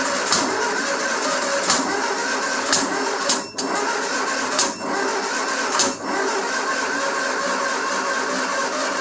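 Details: 1974 Triumph Spitfire after a Zenith Stromberg CD150 carb rebuild, timing being adjusted toward 15° BTDC: catches in a few uneven bursts, then stumbles and dies on each try; two plug leads were swapped in the firing order.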